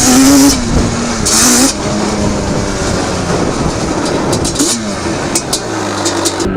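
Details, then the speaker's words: Banshee two-stroke twin quad, possibly not fully warmed up, plug chops not yet done: revs past unevenly and stumbles, running choppy instead of pulling clean; owner suspects lean, though also wondered about rich jetting. "he dude I think it's lean think so I don't know if you can hear it you hear it kind of like doing that almost"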